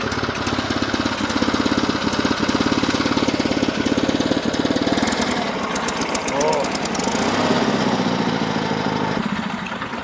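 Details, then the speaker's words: Old project started up: rough, lopsided chuffing about three or four beats a second with an irregular beat; owners say one cylinder is really strong and another a little leaky; uneven running. "got one really strong cylinder yeah another is a little leaky yeah"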